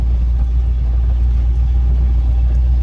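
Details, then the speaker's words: Lifted 1976 Chevrolet K10 Silverado with replacement V8, cruising on its test drive after an NP205 swap, rebuilt transmission and new lock-out hubs; steady even low rumble, no knocks or misses, normal running while driving. "and drives the nicest it runs nice i put a different motor in it"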